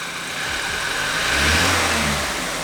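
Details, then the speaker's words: 2013 BMW F30 328i N20 engine, not run for about six months, after timing chain assembly replacement; smooth, even note swelling with a light rev and settling back; normal running, no knocks or rattles. "so since it's running good i'm gonna connect the laptop show you what codes were present and delete them"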